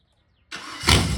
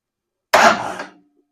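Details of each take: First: 302 V8 budget-build engine, temporarily hooked up, no coolant, about 12° timing and 16 inches of vacuum, recorded from outside: quick crank, then it catches cleanly and runs strong and steady with no misses or knocks. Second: 302 V8, random plug on cylinder one showing spark, ignition wire held to battery: starter churns slowly at about three sluggish compression beats a second with no catch; weak battery, compression sounds present.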